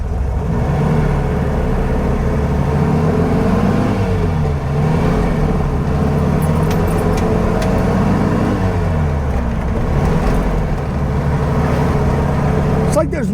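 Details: 1957 VW Beetle air-cooled flat-four after a minor tune, on a test drive: steady pull through the gears, even drone rising and falling with speed, no knocks or misses; engine running healthy, though a rattle, possibly from the front end, is noted.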